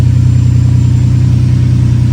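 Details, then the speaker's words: Ferrari 456 V12 after installing new gapped spark plugs to cure random misfire: steady, even idle with smooth low hum, no stumble or shake; running cleanly on all cylinders, though coils could be a cause if it returns. "And here we go. Definitely feels a lot smoother than before. Not getting that little kind of shaking sensation anymore."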